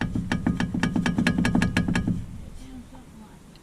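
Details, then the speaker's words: Truck with a dash rattle first blamed on the speedometer cable, which tested good: hollow, tinny driveline knocks about three a second for two seconds, then fading; owner suspects a worn U-joint, not yet confirmed. "sounds a lot like I think I found it could be replacing a huge joint in a future video [Music] because I think that's it"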